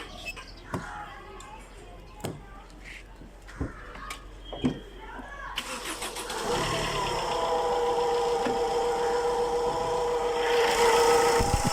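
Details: Chevrolet Enjoy diesel heard at the engine side. A few clicks, then the engine starts and a steady mid-pitched hum rides over the idle. The source is unconfirmed; a noisy belt pulley bearing is suspected.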